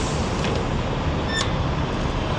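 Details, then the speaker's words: 2023 Indian Pursuit Unlimited motorcycle at about 20,000 miles, idling: one sharp crisp snap as the kickstand is put down and locks into place over a steady low idle rumble, a positive latch with no rattle; normal. "Um but I'll show you when you when you put it down, it really snaps into place"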